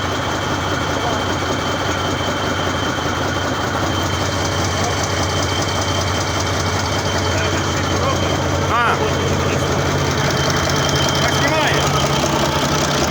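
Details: Mercedes OM401 diesel idling steadily with a dull, low engine knock beating a couple of times a second under the run; this is the start of the search and the source is not yet found.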